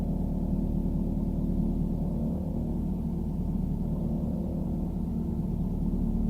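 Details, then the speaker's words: 2017 Ford Super Duty warmed up at low idle RPM when stopped; low idle rumble with a metallic, ringing buzz from dipstick tubes shaking loose, far from their mount; fixed with stainless steel cable clamps. "so when the vehicles warmed up in the RPMs are running a little bit lower like how to stop that's when it'll start making the rattle as you can hear right now"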